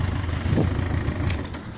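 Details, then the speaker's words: Yamaha XJ900S Diversion, long-stroke two-valve engine, after curing a misfire blamed on ethanol supermarket petrol: clean rev blip rising and settling smoothly, idle just on 1000 rpm, no stumbling or popping; engine healthy. "oh ah so there we are the tick over his nose over just just to bang on a thousand which is just where i like it and look at that purring like a kitten after three months i've got my bike back"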